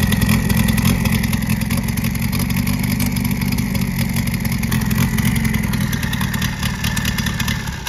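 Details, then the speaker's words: 1976 MGB with K04 turbo, intercooler, about 157 hp at 12 psi, running rough and lumpy like a tractor, pouring smoke after coolant reached the cylinders; head gasket blown again, not a turbo coolant line leak. "dude this sounds like a tractor it doesn't have the tractor turbo anymore pouring smoke out of here oh no yeah [Music] [Music] oh yeah bro head gasket is gone for the third fourth time"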